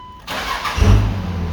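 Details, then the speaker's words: 2001 Dodge Ram 5.9L Cummins 24-valve diesel with VP44 pump: brief crank catches quickly into steady even low rumble, no misses or knocks; normal start and idle. "yeah we probably didn't wait long enough or something like that i don't know there it goes now you technically don't have to wait for that weight to start like because i mean it should be immediate you know"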